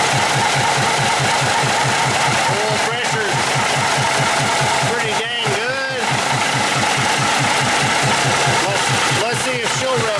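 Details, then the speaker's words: 1953 GE 80-ton locomotive, last run 1998, number two engine freshly started: loping idle near three beats per second with breathy huff; blowby, owner expects running will seat the valves; smoke seen. "That is some blowby, but it probably just needs to uh run Get those valves seated."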